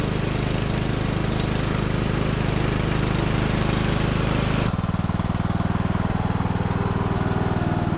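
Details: Abandoned MTD Bolens riding mower revived: small single-cylinder engine restarted after fuel valve was found off, blades engaged; steady, even beat with no misses or knocks, settling smoothly as it changes speed, running super smooth.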